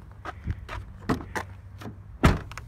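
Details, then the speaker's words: 2016 Ford Explorer Sport, rear seat being operated: several separate heavy clunks with light rattles from the rear seat mechanism. The seat clunks and rattles. "I feel pretty embarrassed about the uh whole um rear seat thing so it kind of makes it did you hear that clunking noise"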